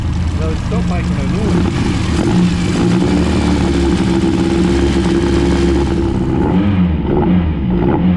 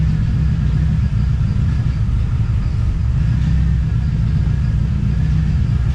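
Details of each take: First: TVR Cerbera idling smoothly and evenly after disconnecting one sensor and running on the other; it barely ran on that sensor alone. A rattling noise was heard before, owner wonders if spark-related. Normal running. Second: TVR Cerbera with a random misfire: deep, lumpy rumble that never smooths out; owner considers disconnecting one of the two throttle position sensors.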